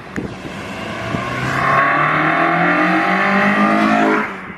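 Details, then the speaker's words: Honda EP3 with a stock K24 swap and small restrictive exhaust, drive-by near 6,000 rpm: strong rising intake howl, pitch climbing cleanly then fading, no exhaust noise; VTEC now engaging normally where it did not before. "definitely hear VTEC now it didn't do that before it's all intake noise there's no exhaust noise at all"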